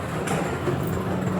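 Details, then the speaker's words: Quick Drop arcade machine after stuck balls were cleared: a continuous, even rolling rattle as balls flow back down and up to the top, with no grinding, working normally. "Balls are flowing back down into the back. Balls are flying up into the top. I can hear it. Everything's working normal."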